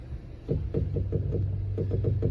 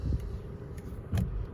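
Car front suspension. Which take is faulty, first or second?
first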